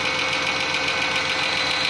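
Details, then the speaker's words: Toyota Camry or Corolla that had sat unrunning for months, started after a new alternator was fitted: even, steady engine hum with a bright hiss, no misses, stumbles or surges and no smoke; running normally and charging. "all right so the good thing is no smoke you should be running good"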